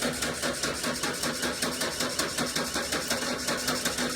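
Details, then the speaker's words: Camper van cranking after timing work and injector seal and leak-off pipe replacement: starter turns the engine evenly at about two and a half beats a second, never catches; no fuel, inertia switch wiring suspected chewed by mice. "right we are getting somewhere so it's got no fuel"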